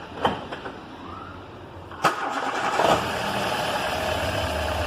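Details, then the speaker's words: Warm start of a Ford EcoSport with a Zetec Rocam timing-chain engine: a brief crank, then a clean catch and smooth, even idle with no rattle. The noise occurs only on the first start of the day, traced to a defective tensioner. "motor Luizinho não fez barulho Porque o motor já está quem tá pode desligar"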